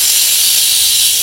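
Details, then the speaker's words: Polytron one-door refrigerator not cooling, with the light on and the compressor hot: a pipe is cut, giving a loud, steady high-pitched hiss as freon and oil rush out. Refrigerant and oil release; the system needs flushing. "keluar ya nah ini yang keluar itu oli dan juga freonnya teman-teman ya"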